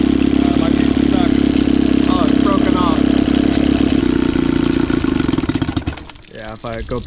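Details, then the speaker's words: Johnson/Evinrude outboard two-stroke, after choke start: low ragged idle that slows and cuts out when returned to the starting position; idle too low from a broken idle linkage piece, stalling. "Yeah, with this like broken piece for the idle. It's like idling too low."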